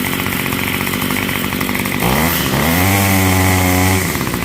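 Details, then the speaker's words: Yard Machines Y2510 two-stroke string trimmer after fuel line repair, warmed at half choke: buzzes then revs climb and hold with a slightly ragged top end; runs well but the carburetor needs a small top-end adjustment. "And it does need a little bit of adjusting. Not much. So you hear it's running good. It just needs a little on the top end."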